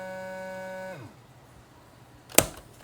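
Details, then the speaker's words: Vacuum sealer pump hum cuts off abruptly after a second, then clicks; the bag failed to seal because one side of the lid wasn't pushed down all the way and the sealing sounded off. "That sounded kind of off. Yeah. So, that right there I'm pretty sure is going to be a prime example of what I talked about earlier. So, it didn't seal right here because I didn't push this side down all the way either."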